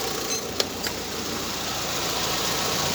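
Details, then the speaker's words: VW Saveiro that had a belt noise and a noise on starting, now reassembled with the power steering/alternator belt correctly tensioned and the A/C belt refitted: soft, even normal idle with no ticking, chirping or rattle. "funcionar agora para ver o barulho ficou filé partida e vai a rodando sem por cento normal"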